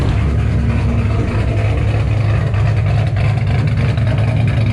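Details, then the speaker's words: 2007 Ford Shelby GT500 supercharged V8 with L&M NSR cams, tuned, first start after install: deep lumpy burble swells and settles as it's blipped, clean with no knocks or rattles; normal revving. "um she sounds amazing like straight up amazing this is having a supercharged gt500 is one thing cammed on top of it"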